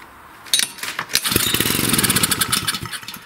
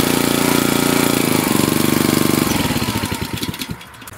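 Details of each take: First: Wood splitter Honda engine sat 5 to 10 years, cranked on choke with air filter off: catches for a few ragged beats then dies, also with carb cleaner sprayed; starts-and-dies, likely a gummed carburetor, to be replaced. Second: Wood splitter Honda engine, sat 5 to 10 years, after carburetor replacement (Honda 16100-Z1A-802): quick even firing pulses slowing and bogging as the splitter takes the load, no misses or knock; pulling properly.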